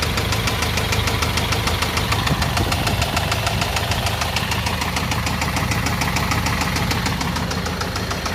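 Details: Ford Transit diesel with burnt injector washers leaking compression into engine, heavy smoke from breather and exhaust; hard, regular knock about one hundred per minute over idle, steady throughout. Rod knock.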